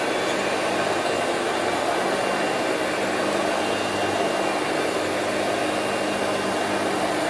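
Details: Two-speed Hoover Celebrity QS (Quiet Series) vacuum on low speed with the power nozzle plugged in: a steady, even rushing whir of constant pitch, no rattles or surging; normal running (owner notes some bearing noise at wind-down).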